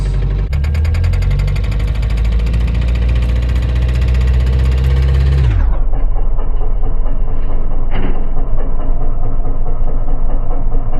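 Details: Subaru Impreza STI Spec C turbo petrol at 194,140 km, with white smoke after a circuit run on a not-yet-warm engine: revs then drops to idle with a clattering knock following engine speed; owner wonders if overhaul was due.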